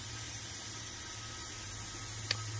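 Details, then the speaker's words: 2010 Audi A4 with rough idle and misfire, leak-down test on cylinder four at TDC, dipstick pulled: steady soft hiss of air from the dipstick tube; mild ring blow-by though compression is high, valves sealing. "so I pull the dipstick and this one you can hear the air coming through it"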